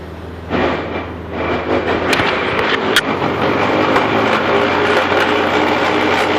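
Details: Jeep Grand Cherokee WJ, after 4x4 use, jacked up and in Drive: grinding that turns into rough, uneven clunking, felt underfoot; caused by a worn CV joint on the front Rzeppa driveshaft at the transfer case end.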